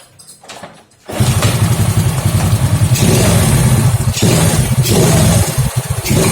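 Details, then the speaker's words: Honda Grand, hard starting, stuttering and fouling plugs black, running on a newly bought genuine replacement plug cap: engine catches and revs but keeps stumbling and dropping out unevenly; misfire from current leaking at the spark plug cap. "Oke, ada berbetnya. Ini beli yang original, bener-bener original pabrikan ya, maksudnya bukan dari copotan tapi original Indonesia."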